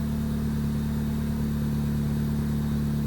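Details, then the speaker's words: 2001-2005 Honda Civic after ignition switch replacement: starts right up with no issues, smooth even idle with steady beat, no knocks or misses; normal idle. "You already hear that sound. Boom. Starts right up. No issues."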